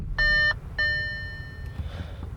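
Two clear high-pitched beeps, the second ringing out longer, over a quiet cabin; a warning chime from the cluster with no known cause.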